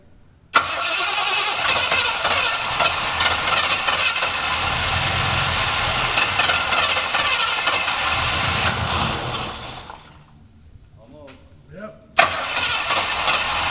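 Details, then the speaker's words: Classic V8 that sat for years, with a diaphragm-type (floatless) fuel system and electric pump, catches and runs unevenly, sagging before dying, then recranks; owner suspects a blown diaphragm or just finickiness, unconfirmed. "well sounds like might have float issues or something oh that's right no floats now all diaphragms be a blown diaphragm or it could just be its finicky it's been sitting for years"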